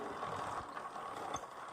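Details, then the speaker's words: Royal Enfield Classic 350 rear wheel turning, dense dry rattle with ratcheting ticks from an over-tight drive chain; brake noise and brake jamming also reported, fix is setting chain slack correctly. "അപ്പോൾ ഇതിൻ്റെ ഒരു chain ഭയങ്കര ടൈറ്റായിട്ട് കിടന്നിട്ടാണ് ആ ഒരു sound നമുക്ക് കേൾക്കുന്നത്. Chain കറങ്ങുമ്പോൾ sound വളരെ നോയ്സി ആയിട്ടുള്ള ചെയിനാണ് ഇപ്പോൾ ഇത് ഭയങ്കര ടൈറ്റാണ് ഇപ്പോൾ ചെയിൻ."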